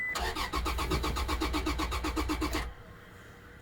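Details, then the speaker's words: 2007 Toyota Tacoma that cranks but won't start, relays and fuses OK, pump tested powered directly: starter churns about four beats a second for under three seconds, never catches; failed fuel pump. "Wala ah. On. Wala. Ayan oh. Sira fuel pump."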